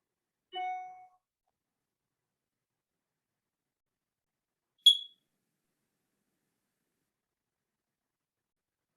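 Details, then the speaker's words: A smoke detector's trouble or 'error message' chirp: a single short, quiet, high chirp after a long silence, warning of low battery, end of life or another fault rather than fire. "so this is kind of like that you kind of think of it as the error message it's kind of the quiet chirp"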